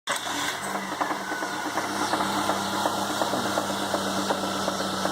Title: S10 Engine Knock